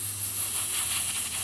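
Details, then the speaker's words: Small rebuilt air compressor with its safety valve set to blow off at about 140, tank pressurised: a steady, sharp hiss of air escaping from a leaking fitting under a lump of sealant. Owner plans to fix it later. "well I got this fell turn tuned in to start blowing off at about 140 figure that's pretty decent and I still got of course a leak"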